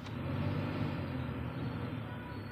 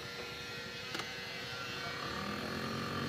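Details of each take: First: Maruti Suzuki Swift AC blower motor, left side, refitted after being removed over noise and weak airflow: a steady, even low whir with no rattle or scraping. Normal blower motor operation. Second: Maruti Suzuki Swift AC blower motor with weak airflow: thin steady whirring with a faint ringing over a light rattle whenever the blower runs; debris is suspected inside the blower motor.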